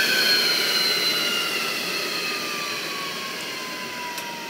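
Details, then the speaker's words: 3 horsepower multistage regenerative blower for an industrial vacuum system: steady high airy whistle from the intake drowning the motor, tone drifting slowly lower; running normally. "another cool thing I think about these is the sound they make it's got a pretty high frequency owing to the great number of stages that the air is going through"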